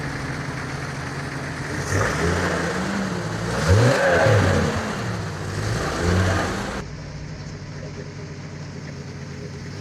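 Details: Jeep XJ just after replacing the exhaust manifold, gasket and downpipe. Engine revs up and down smoothly a few times and drops back to a steady idle with no ticking or exhaust-leak puffing: normal revving.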